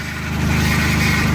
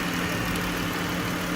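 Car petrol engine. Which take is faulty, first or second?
first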